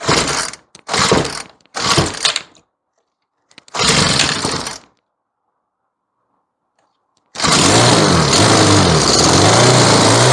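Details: Troy-Bilt four-stroke weed eater running after stale yellow-tinted gas was replaced with fresh fuel; several pull bursts, then it catches and holds a steady run, pitch wandering slightly while the mixture is set; running normally.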